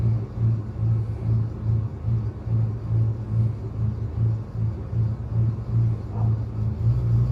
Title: 1999 ford f350 v10 misfire and idle surge need help